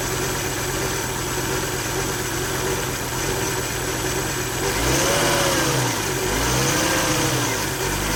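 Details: 2000 Volvo V70 with failed electronic throttle module (codes P0220, P1600): shaky rough idle, engine revving up and down three times after one gas tap, faint whine possibly a rusty bearing or pump; replacing the ETM fixed it.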